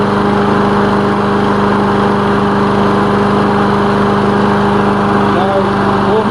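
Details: Lawn mower engine after repair, oil recently changed, initial test run with the elevator off; steady even buzz at constant speed, no stumbling, surging or rattles; running fine, normal.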